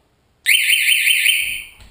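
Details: Homemade shark alarm buzzer on its first test right after the battery is connected: a loud steady shrill tone starts instantly, holds over a second, then fades; it sounds properly.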